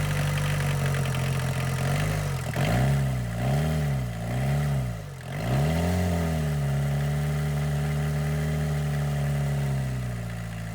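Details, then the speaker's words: Boneyard diesel car, cold start on a 20°F February day after a suspected dead battery: clattery idle picks up cleanly through quick revs and settles back steady; healthy. "I guess the battery wasn't dead. Rev it up a little bit. Sounds like a diesel."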